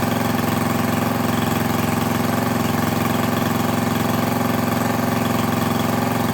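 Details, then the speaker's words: Craftsman lawn edger, 140cc engine, after reassembly to fix poor running and dirt found in the carb; small engine holds a steady even idle without stumbling or surging, owner unsure if it should run faster. "I might have to do a little bit of digging see if it's supposed to run at a higher speed than that or not but I'm gonna assume no"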